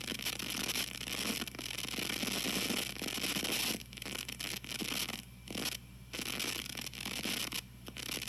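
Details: TG-TEK tablet with headphones plugged in while downloading: constant hiss with scratchy crackles in bursts that briefly drop out. Happens only with headphones during downloads or multitasking, sometimes not stopping right away when the download is cancelled; cause unconfirmed.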